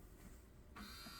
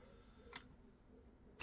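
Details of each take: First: 1985 Pioneer PD-5010 CD player, bought sold-as-not-working: at power-on a small motor whirs steadily but the tray won't open, no drawer clunk or movement; worn, slipping CD tray loading belt suspected. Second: 1985 Pioneer PD-5010 CD player after replacing a belt: soft motor whir with a couple of clicks as the tray travels, a little sluggish but smooth; normal CD tray operation.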